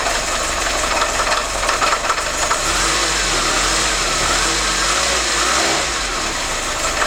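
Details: Harsh metallic knock over the idle of a 2101 four-cylinder engine that persists while it runs; the source is not pinned down and the cause is suspected, not confirmed.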